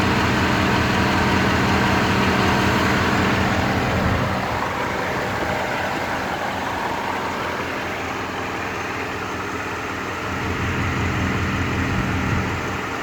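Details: Rover 3.5 V8 with a wobbling pulley, idling with an uneven, stumbling beat about four pulses a second and a rough lope; misfire at idle.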